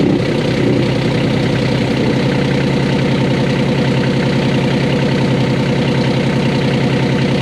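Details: 1988 Catalina 36 sailboat inboard diesel idling in neutral with the shaft not spinning: dense, uneven rattle on every beat from an unbolted component vibrating, loud through the aft end and mimicking transmission grinding.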